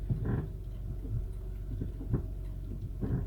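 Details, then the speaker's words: 2007 Honda Accord V6 automatic, with struts, sway bar links, steering rack, tie rods and mounts already replaced: low groaning creaks when the brake is applied and released; lower control arm bushings suspected. "I don't know if you heard that as you kind of release the brake or put the brake on you can hear that noise I'll try to amplify that a little bit in the video so you could hear it"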